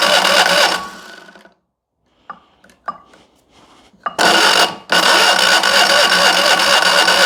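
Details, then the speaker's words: Fiat 126p carbureted petrol engine fed only lamp kerosene as an experiment: fast, even cranking churn that stops and restarts but never catches into a run. It briefly fired and died, and will not start on kerosene alone. "więc okazało się że na samej nafcie on nie zapali"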